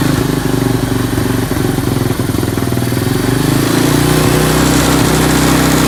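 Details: 1987 Honda TRX200SX ATV single-cylinder engine after carb cleaning and fresh fuel, cold weather: quick steady putter holding an even idle without dying or hunting; normal idle.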